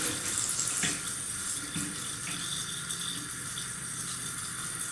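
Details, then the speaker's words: Fluidmaster 400A universal toilet fill valve after cleaning, tank nearly full under pressure: steady hissing with bubbling and spraying water; valve still leaking, likely to worsen, should be replaced. "Hear the water leaking a little bit? There's pressure, there's water leaking. And it's probably going to get worse."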